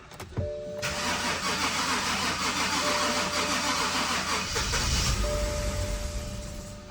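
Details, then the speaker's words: BMW 5 Series start attempt after oil probably leaked onto exhaust, repeated tries; long steady starter whir about four turns a second, briefly catches with rougher roar then dies; extended crank, no start; owner suspects it needs gas, later got running. "It's like you need to give it gas. That's what I'm thinking, because it keeps dying out."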